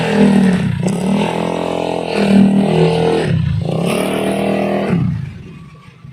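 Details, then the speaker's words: Honda Beat carburetor scooter CVT under acceleration: harsh rising grinding rattle climbing with revs. "nah seperti itu ya teman-teman pada kondisi motor Beat ini pada bagian CVT nya dia terjadi atau terdengar truk atau ngeresek kalau bahasa Sundanya ya seperti itu"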